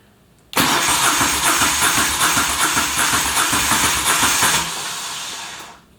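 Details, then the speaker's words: Moto Guzzi Stelvio replacement engine that sat six years, first start attempt: starter spins steadily about four seconds with no catch, then winds down; cranks but won't start. "it sounds like it wants to do something"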